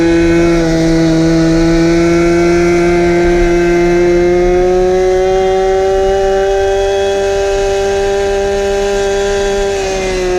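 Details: 1970s ARCO 3533 vintage mini bike, small two-stroke with no muffler, held at about 10,000 rpm while doing only about five mph: a loud, raw, buzzing scream, pitch creeping up slightly, running flat out.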